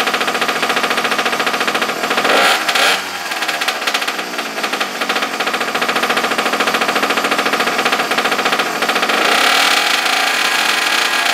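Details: Abandoned small single-cylinder engine, choke on, after regapping the plug for weak spark: raspy high-pitched run revs up and holds a steady buzz, firing consistently without cutting out.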